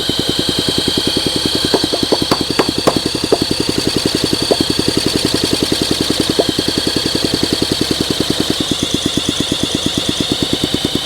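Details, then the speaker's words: 1971 Honda SL125 single, long-stored and freed after seizure, carburetor cleaned, thumping rough and uneven with sharper cracks under throttle; combustion smoke from crankcase shows heavy blow-by, owner suspects compression issue. "Oh, it wants to. Come on. The combustion right here is smoking out the case. I got a lot of blow-by going on."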